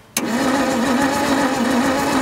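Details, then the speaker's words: 1962 Bedford TJ truck being revived, a little liquid tipped down the carburetor: the starter cranks at an even, rapid beat but the engine never fires; no spark, traced to the lost power lead from the ignition circuit to the coil. "okay so we just ascertained that there's no spark so whatever the i think the power from the ignition coil to the coil from the ignition um circuit to the coil i found the lead power that'd explain it"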